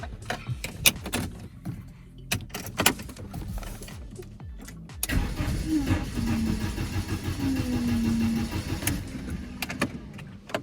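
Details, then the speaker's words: BMW E46 compact N42/N46, sold car returned, neutral with handbrake, codes P27C1, P2781, P2782 for intake, exhaust and master camshaft: a few clicks, then steady cranking for several seconds without firing. Crank no start; later found out of valve timing. "it doesn't want to start and the error codes are 27 C1 27 81 and 2782 which is Inlet and Outlet cam shaft and master cam shaft"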